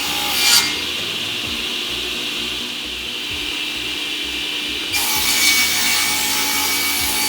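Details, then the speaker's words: JA Fay and Egan Lightning Line 500 power-feed ripsaw after lubrication, bearing oiling and new blade, 3/8-inch test rip under load: crisp, clean ringing hiss with no rattle or extra vibration; healthy saw, sharp blade. "there's a saw running really nice and clean and listen to it under load and hear how the blade cuts and how the shop works"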